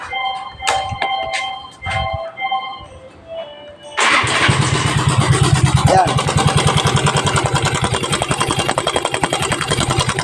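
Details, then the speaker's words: Mio Soul i scooter engine idling, suddenly became noisy in use: busy fast metallic rattle from the top end, found to be a faulty cam chain tensioner pushing back when adjusted. "yan Ang ingay ng ano ng makina ' ba ngayon chineck ko Ong panggilid niya wala rito Pero kung papakinggan mo siya parang nandito tsaka nandito sabog ngayon napag-alaman ko na ang sira niya Ay tensioner"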